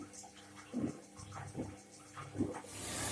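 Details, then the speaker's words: Indesit washing machine after cleaning the clogged pressure-switch hose that made it drain while filling; quiet water trickle with soft regular splashes, fill continues, no longer draining, working normally. "Сейчас машинка еще набирает воды. Вода сливаться перестала сразу. Машинка работает нормально."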